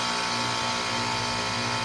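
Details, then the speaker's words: 2001 Trane XE1000 5-ton heat pump in heat mode at about 45°F; steady even hum from compressor and fan, no rattles or grinding, as the unit enters a normal defrost cycle. "that sounds like what it did when it defrosted last Christmas or it might have just shut off I don't know see what it does holy it's defrosting it's actually"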